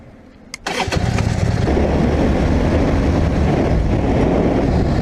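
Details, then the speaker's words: One-owner 1985 Harley-Davidson Ironhead Sportster, air-cooled, first ride after sitting for years, started with a little choke and warming up: steady, deep, even V-twin rumble with no knocks or misses; running good, tach bouncing. "Well, you can hear me, but the bike is running good. Things are warming up."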